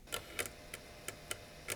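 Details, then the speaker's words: Late-1990s IBM Aptiva 2139 barn-find PC floppy drive: sparse uneven ticks over a faint hum as the head tries to reach track 0 and gets stuck; still sticks after power cycling, before a drop of oil is applied to the rail. "think it's trying to reach track 0, but it gets stuck."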